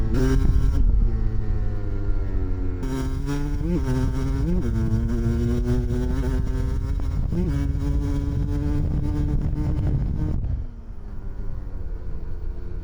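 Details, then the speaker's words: 1993 Kawasaki KDX200 two-stroke after new piston, ridden after second/third-gear break-in, then pulled through the gears to wide open: crisp ringing, pitch climbing cleanly with each pull and dropping on shifts; strong, healthy running. "and then he's going to get on it a little bit and shift through the gears and let it get to wide open a little bit so you can hear what this thing sounds like"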